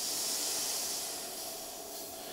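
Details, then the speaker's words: WULF PCP air compressor after filling: bleed valve slowly opened, smooth high air hiss softening as pressure falls, possibly a slight whine; normal bleed-down before hose disconnect. "Come to the, so I can see that, come to the bleed valve there, you just slowly open it up. You'll see the pressure drop on the screen,"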